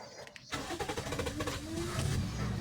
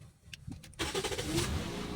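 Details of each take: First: Toyota Vios that often needs about three start attempts, worse when cold. The starter churns at three to four beats a second for over a second before the engine catches; long cranking. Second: Toyota Vios, cold engine, owner complained of long cranking and low power: brief starter whir, catches on first try, settles into steady even run, no longer hard to start; normal quick start.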